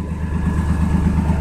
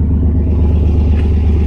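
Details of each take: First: 1992 S10 Blazer idling on a cold day after new plug wires cured a multi-cylinder misfire: a smooth, quiet engine with a light, quick puffing rattle in the exhaust note; exhaust leak at the catalytic converter, exhaust smell noted. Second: 1992 S10 Blazer on a cold day after new plug wires (number 5 was bad) fixed a bad multi-cylinder misfire: a low, steady, even idle with no stumbling and no check-engine light; normal idle.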